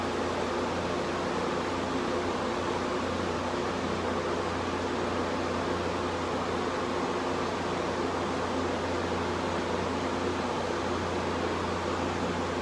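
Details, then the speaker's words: 1986 Quietmaster air conditioner, first start in six months, on medium cool: even steady rush of fan air over a low constant compressor hum, no rattles or surges; running normally. "Okay, she's going, eyes compressor compressor. Kind of hear it back out to the front a bit. It's running on medium cool as usual. See, it's running in here, too. It's running good."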